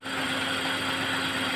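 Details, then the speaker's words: Engine after fixing white exhaust smoke from the PCV valve: smooth, even idle with steady hum, no knocks or misses; earlier noise gone. "Andar na may tuwang-tuwa ng boss namin. Wala na yung ingay."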